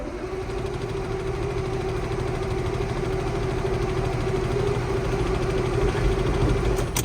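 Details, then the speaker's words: KamAZ diesel truck cranks but won't start; steady churning crank at about three turns a second that never catches. Fuel tank half full of diesel; owner suspects fuel supply, possibly waxed after frosts. "тепер в нас з'явилась нова проблема КамАЗ не запускається чи моториться чи як там правильно говорить"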